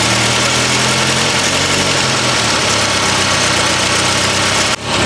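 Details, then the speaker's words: Petrol engine at idle with a harsh, raspy hiss and puffing from an exhaust leak, otherwise running steadily; it used to sputter on touching the gas but now clears out well. "Guys, apart from the exhaust leak, this engine sounds good."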